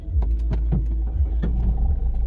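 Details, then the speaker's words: Ford EcoSport after self-starter repair with new carbon brushes and bendix: brief crank, then catches at once and settles into a deep steady idle; starter engages cleanly, starting normally. "यह देखिए गाड़ी first class start हो रही है"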